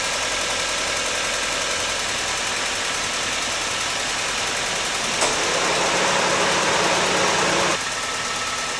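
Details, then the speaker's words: 2003 Honda Civic Hybrid at steady idle: a fast, fairly even ticking of about three to four per second. Owner suspects a rear spark plug with carbon on it is probably the source, so new spark plugs are needed. The leak fix with new weatherstripping did not cure the tick. "So, that didn't fix it, but I'm feeling the back end spark plugs and the one that had the carbon on it is making a weird noise. That's probably where that sound is coming from."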